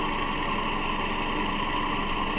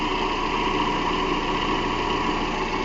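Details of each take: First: 2009–2011 Toyota Camry, 2.5 L 2AR-FE, at idle: a constant rattly whir from the front belt area that sounds like the timing chain but is the idler and tensioner pulley bearings. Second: 2010 Toyota Camry 2.5 (2AR-FE) after replacing the idler pulley, tensioner pulley and belt: steady, even idle with no squeal, chirp or rumble. The earlier pulley noise, which resembled a timing chain, is gone.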